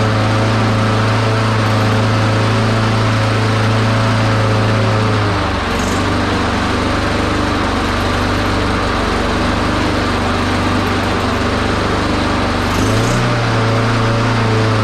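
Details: Honda HRX217 lawn mower small engine holds a steady drone but sags briefly twice, about seven seconds apart; carburetor looks dirty and a part fell off, suspected vacuum/fuel-delivery problem, not confirmed.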